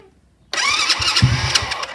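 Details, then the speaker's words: Supercharged Postie bike with newly added fuel pump for nitrous, very cold, attempted start without choke after pump squirt: sudden crank and rough sputter that won't settle to idle; hard starting, owner suspects it flooded. "flooded it or something [Music] yep no joke so it's very cold"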